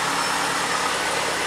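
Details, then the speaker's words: Stock 2004 Yamaha FZ6 four-cylinder, about 18,000-19,000 miles, idling about a minute from cold, idle dropping, pipes still not warm: steady even idle, smooth exhaust note, no knocks or ticks; normal cold idle. "it's been idling i guess for about a minute now and the idle's already come down this should be the watch the rpm"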